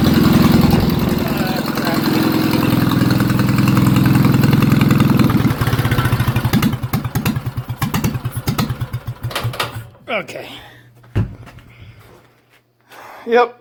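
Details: A Wisconsin TFD engine's carburetor, unused over 25 years, was cleaned (low-speed circuit included, no new parts) and test-run with air covers off: a steady, even exhaust beat, then shutoff and coast-down. It now runs cleanly.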